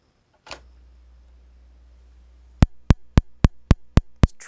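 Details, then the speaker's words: Lamp on donated equipment being tried: low steady hum, then sharp even igniter clicks about four per second while the lamp fails to strike; it later flashes once, dimly. "to light but it doesn't seem to want to if you hear the igniter click"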